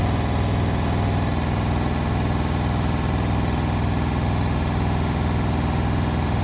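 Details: Indesit WIL143 washing machine on its final spin at 1400 rpm: a loud, deep rumble with a rhythmic throb pulsing about twice a second, an abnormal noise.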